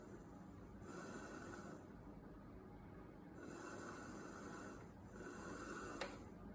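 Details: DeLonghi ECAM 23.266.B coffee machine making strange noises when drawing milk or flushing the milk tank. Repeated slurping, snorting gulps about a second long with pauses, as the milk system sucks air instead of drawing smoothly.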